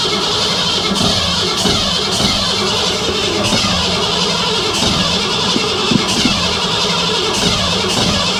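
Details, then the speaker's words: Shop truck cranking after timing chain and intake job, smog parts not reinstalled: steady fast cranking with only occasional ragged pops, one or two cylinders firing, no start; timing suspected too advanced. "obvious coils plugged in and stuff and I me it's popping on one or two something not doing what something's"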